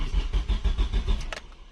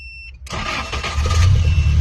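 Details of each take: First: Car that cranks but won't start, with a newly bought ignition coil giving no spark and no fuel pump sound: the starter churns steadily at about six compression pulses per second but the engine never catches. The wiring needs checking first; cause not confirmed. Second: Car that would not start, after a faulty computer was repaired and a fuse fitted temporarily: the starter churns briefly and the engine catches cleanly, settling into a smooth even run with a short throttle blip. Sounds healthy.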